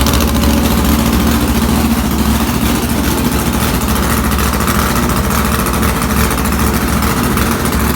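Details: Comet engine restarted with new spark plugs after old plugs were reused and one cylinder stayed cold (about 120 degrees) while others ran hot; coil suspected: heavy, lumpy idle with irregular pulse about two beats a second, one cylinder not pulling its weight.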